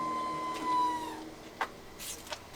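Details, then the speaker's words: Fuel pump priming at key-on during a repair where air bubbles and heat-soaked fuel were suspected; brief steady mid-pitched whir cutting off cleanly after about a second, healthier than the earlier screaming. "That's a healthier sound."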